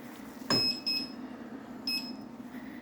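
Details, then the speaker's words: Gotway/Begode MCM5 V2 electric unicycle after tire change and motor reconnected; click as motor engages, then four short tilt-alarm beeps over faint hum, won't self-balance, wheel rolls with chunky motion. "and then when I started up hear that click it's like it engaged the motor for a second and then it beeps and it it doesn't self-balance and it still has that chunky feeling it doesn't roll smoothly"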